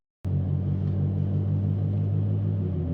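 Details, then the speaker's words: BMW 335i driving: a deep, steady road rumble with a rhythmic wah-wah wobble pulse; the owner suspects a worn wheel bearing, with replacement bearings on hand, unconfirmed. "I gotta do the wheel bearing um y'all here hold on I'm gonna show you what songs they make watch watch this behind me all right you'll hear the wheel bearing"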